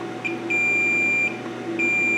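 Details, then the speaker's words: 25-inch K7000 arcade monitor chassis that was blowing fuses, output transistor tested out of circuit on a non-conductive surface: the meter gives a solid continuity beep each time, so it is shorted and discarded. "it is shorted so in the garbage that goes"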